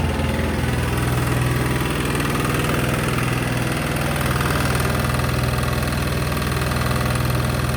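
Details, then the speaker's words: Sykes GP80 water pump with Lister TR1 single-cylinder diesel, battery rising from 12.6 to 14 volts once running: loud, steady, even chug at idle with no misses or knocks, rattling the floor. Normal idle, healthy. "foreign I'm actually over the moon with that albeit loud as something that I won't say um that was rattling on the floor which was making the whole building feel like it was moving"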